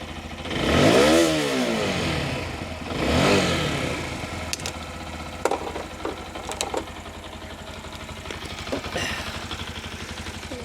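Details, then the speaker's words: Keeway RKR 125, 6,430 miles, bought sight unseen, first start after new spark plugs with a booster pack: two quick uneven blips then settling to a ticking idle; throttle response slightly hesitant. "ah yes she's running right then running sounds like it's R all right as well it's a bit hesitant I think"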